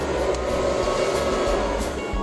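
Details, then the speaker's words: Newly mounted portable all-in-one diesel air heater on a 12 V supply, first power-up with a room temperature of 13 °C: the air fan comes up to a steady, even whir with a low hum while the glow plugs should be heating. The fuel pump is not yet audible; this is a normal start. "la ventola, mi dice che ci sono 13 gradi in stanza. In teoria sono partite anche le candelette, si stanno riscaldando le candelette."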